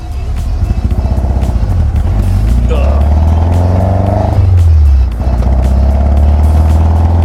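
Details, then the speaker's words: Lightweight Seven-type car idling after a huge backfire; uneven, loping idle with a stumbling off-beat pulse and exhaust pops, running on three cylinders; misfire on one cylinder. "I think I'm missing on a cylinder Uh something's not quite right and this thing is running rough"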